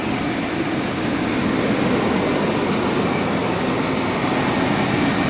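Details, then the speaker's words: 1996 Chevrolet Blazer, just got running after a bad battery connection; the alternator is charging. Even, steady idle hum with no knocks, misses or squeals. It runs quietly and well, with no apparent exhaust holes. "Yeah, this thing's running good. It's quiet. Doesn't sound like there's any, holes in the exhaust."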